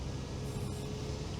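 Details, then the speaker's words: Vezdekhod Veter all-terrain vehicle with GAZ-66 transfer case, shifted from low to high range: gear whine heard in low is gone, now a smooth low rumble and faint steady hum, no grinding or clunking; normal transfer case operation. "Теперь он легко бежит на повышенный и никаких звуков нет. Поэтому не бойтесь этих раздаток ГАЗ-66."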